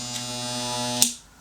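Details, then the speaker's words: US Wahl hair clipper run on a 60 Hz supply via a frequency converter instead of a 50 Hz 240-to-110 transformer: even, steady buzz with no banging or rattle, cuts off cleanly; running smoothly. "And this creates smooth movement of your blades and smooth movement of the mechanics in the hair. As a result, no noise, high performance."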